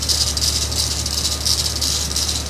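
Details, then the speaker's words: 2000 Jeep Wrangler TJ at about 150°, not fully warm: fast fizzy metallic rattle over steady idle, pulsing unevenly; owner suspects idler pulley or water pump, not confirmed. "I don't know, man. Idler idler pulley maybe over there. It would have to be the idler pulley"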